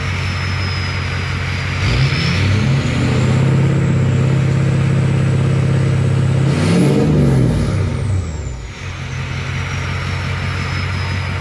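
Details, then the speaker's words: Ford 6.0 Powerstroke diesel with MBRP exhaust, S&B cold air intake and SCT Livewire tuner, sound test before first drive: smooth idle, two clean throttle blips, settles back to steady idle with no knocks; normal revving. "and see why people like these things even though they're they have their issues they definitely sound good"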